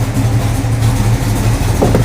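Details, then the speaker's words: 1969 Barracuda started for the first time in at least three months, throttle held just above idle at about 1500 rpm: rough, uneven low rumble with a raspy puffing edge on one side; exhaust leak suspected, not confirmed. "I was hearing like a really bad noise on the side you hear it that doesn't sound good"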